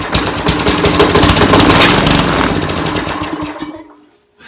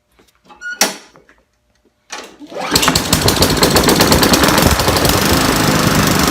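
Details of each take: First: Trash-picked Craftsman lawn mower with a Briggs and Stratton engine sputtering unevenly for a few seconds, then dying on a borrowed spark plug; spark is fine, so a fuel delivery fault, with garbage in the carburetor bowl. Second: Trash-picked Craftsman push mower with Briggs & Stratton engine, after cleaning water (from tank) out of the carburetor float bowl and replacing an odd, off-center spark plug: a few pulls, then catches and settles into a steady, even run; normal running.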